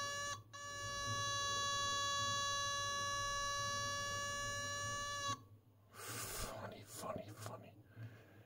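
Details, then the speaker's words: Homebrew 1979 dual linear 0-30V 0-1A DC power supply: steady high beep for about five seconds then cuts off, the built-in sound current-limit alarm going on and off with no hysteresis under overload. "how funny so there's no hisis or anything here this is more or less just going on and off wow but it works"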